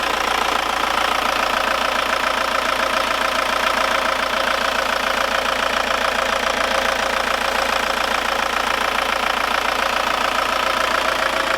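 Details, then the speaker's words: Audi diesel cabriolet after repair, warm with the thermostat open; an even diesel clatter at about 3.5 beats a second with no extra tapping, since the lifters are now primed and no longer knock. "Moi je suis content, le moteur ne claque plus du tout, hein. De toute manière les poussoirs sont bien amorcés, franchement je suis hyper content."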